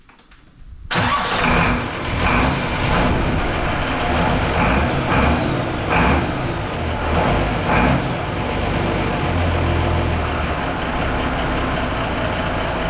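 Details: Mercedes diesel after fuel injection equipment work. The fuel system was bled after being airlocked, and pump timing was set slightly earlier. The engine catches after a second, blips a few times, then settles to a steady, even idle with no misses or knocks: normal diesel idle.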